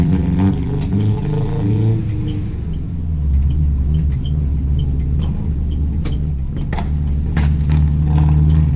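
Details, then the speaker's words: Classic project car on a test drive after sealing vacuum leaks: sharp irregular pops and bangs break through the engine rumble, worst under throttle, hinting at a lean mixture. It runs worse than before; cause unconfirmed. "Well, that was embarrassing. Just went for a test drive. It was popping and banging like a motherfucker."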